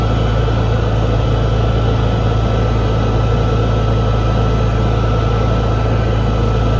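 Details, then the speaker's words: Honda EU6500is inverter generator, stored about 2 years in a shed, running at 3,300 RPM after a failed GCU (no spark) was replaced. Green output indicator on, battery charging. Steady, even low drone holding speed with no misses or knocks: normal running. "So we're running at 3,300 RPM. Battery's charging up, which is a good sign."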